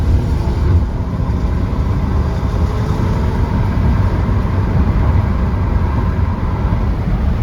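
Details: 250k-mile 2011 Toyota Avalon V6 on a test drive, floored to full throttle: pulls with a smooth, even roar under road and tyre noise, no knocks or misses; sounds healthy.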